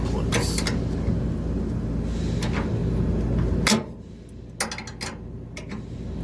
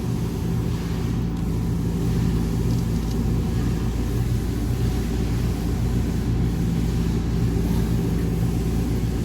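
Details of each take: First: Trane Voyager rooftop HVAC unit (460 V) after idler pulley replacement and belt retension: steady low hum, racket and belt squeal gone, maybe slight belt noise remaining; noise originally mistaken for motor failure. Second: Trane Voyager rooftop HVAC unit on 460 V, about 6.3 A, first suspected motor failure; loud rough drone from failing, visibly wobbling, cracked idler pulley bearing, fixed by replacing the idler pulley.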